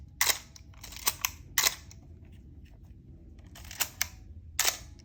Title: The infamous Canon A-series coughing/squeaking sound. #canon #filmphotography #35mm